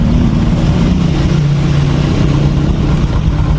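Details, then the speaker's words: Honda Supra X 125 single-cylinder after rebore and head install with new piston, conrod and crank bearing: steady, low, even putter with no knocks or ticks, idling smooth and soft. "sudah lembut halus Ya tinggal kita coba performanya ya"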